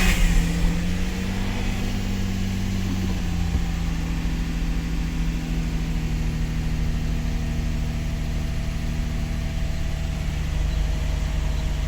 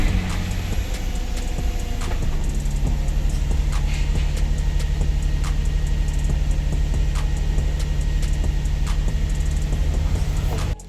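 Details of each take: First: Infiniti G35 sedan VQ engine (G35/350Z): long crank, low droning idle that wavers and shifts pitch instead of settling; rough idle. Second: Infiniti G35 sedan VQ engine idling after replacing the bank 1 camshaft position sensor, which had caused long cranking, no-start and rough idle: deep, steady, even idle with no misses. Engine running clean.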